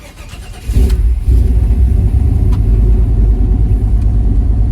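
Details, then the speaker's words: OBS Chevy V8 truck, cold start right after a tune-up (old plugs were mis-gapped at 0.060 in): quick catch into a deep rumble, slightly uneven. Normal start and idle. "Alright, not bad. I don't have a tag, so I don't know how the RPMs are, but come on. She's a little uneven, but I'm sure it'll smooth out."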